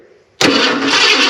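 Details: 1990 Ford F250, fuel-injected 5.0L V8, sat in a barn a couple of years with a broken ignition switch; cranked by jumping the starter terminal. The starter spins it in a steady whir but it never fires because the tank is empty. It started once petrol was added.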